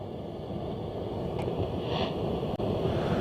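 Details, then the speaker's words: Hacker RP35 valve radio under repair: low steady rumble under a hiss, no rhythm; amplifier stage hum, suspected a faulty valve or bad capacitors, not confirmed. "that's possibly one of the lock fits in the um amplifier stage either that or it's a bad capacitor or combination of bad capacitors"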